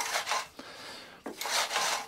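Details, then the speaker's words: ATCO lawnmower Briggs & Stratton recoil starter, after WD-40 flush and maintenance lube, about five feet of new cord: two smooth rasping whirrs as cord winds back, no catching or grinding; earlier noise gone, recoiling freely. "let's get rid of that got rid of that noise now and now you can see that's now recoiling quite well"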